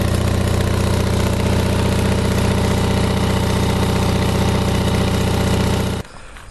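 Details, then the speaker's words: Onan 5.0 CCK-4R 5kW three-phase dual-fuel genset, enclosure closed, remote-started: steady, even thrum with regular firing and no knocks or misses, then cut off. No smoke, 123–124V; generator runs smoothly. "This is how it sounds. No smoke. We're running 123, 124 volts."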